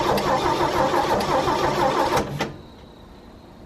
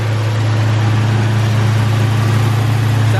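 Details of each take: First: 1963 Chevy C10 pickup, sat for years in a field, first start attempt with plugs and distributor apparently changed by a previous owner, fuel tank later found blocked and a bad section of fuel line replaced: steady starter churning about three turns a second without firing; cranks, no start. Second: 1963 Chevy C10, first start after years sitting, exhaust leak, little fuel in the tank: deep, steady low hum with an even beat about four a second; normal warm-up idle.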